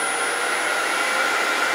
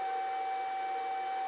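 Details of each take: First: Grizzly G0800 wood lathe turned all the way up to 1017 rpm: smooth, quiet, even hum with a faint steady whine and no knocks or rattles; normal running at speed. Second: Grizzly G0800 wood lathe just unplugged, still emitting a steady, even high-pitched whine that keeps droning for a minute before stopping; the owner says it shouldn't make noise and doesn't know why, cause unknown.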